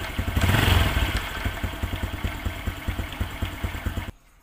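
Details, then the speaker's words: Honda Absolute Revo at idle: an uneven metallic clatter in the clutch area, roughly three knocks a second. The cause was worn centrifugal clutch shoes, fixed by replacing only the shoes. "Hai ini bagian kopling suaranya ada kayak benturan besi ada kayak sejenis klepek-klepek klethuk sejenis benturan besi di di area kopling"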